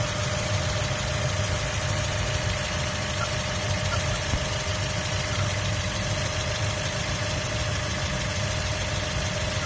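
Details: 2003 Mazda Miata MX-5 at steady idle: a thin, high, constant squeak-like chirp rides over the engine; the chirp's source is not identified.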